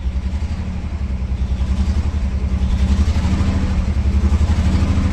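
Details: Vintage sports car on a cold start: deep, lumpy engine note with uneven stumbling pulses under light throttle; a misfire means it needs a little throttle to idle but still runs.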